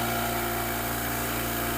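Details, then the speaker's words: Oil lubricated Apollo dental air compressor running up to full pressure: quiet, even hum with a steady pump beat and no knocks or rattles; a normal healthy compressor. "You'll notice just how nice and quiet the compressor is. It's very steady."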